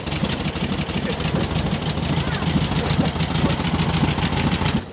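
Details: 1969 VW Beetle revived after 25+ years unrun, distributor rotor now installed: steady, even idle with quick regular chuffing beat, no knocks or misses; healthy flat-four, normal idle.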